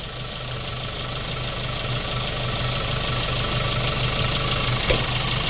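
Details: Hyundai Starex D4CB diesel, replacement engine fitted for blow-by, running about 30 minutes: even idle clatter about three beats a second, no misses or heavy knock; breather shows no smoke, unlike old engine; healthy.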